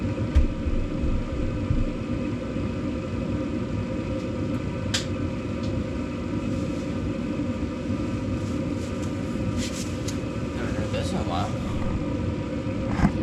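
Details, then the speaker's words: 2012 Bryant Legacy Line gas furnace, first startup of the 2025-2026 heating season at about 50°F, microphone placed at the back to hear the blower: steady, even low air rumble with no knocks, scrapes or squeals; normal blower operation. "Well, there we go. It's running. First time in the 2025 2026 heating season."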